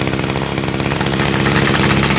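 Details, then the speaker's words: Echo SRM 2400 trimmer, previously starting but not revving, after carburetor rebuild: started on first pull and buzzes at a steady, even idle with no stumbling or surging; runs like new. "Oh, it sounds good idling. That's the way it's supposed to sound. Gotta love those old Echoes. Started on the first pull and she sounds like brand new after a carb rebuild."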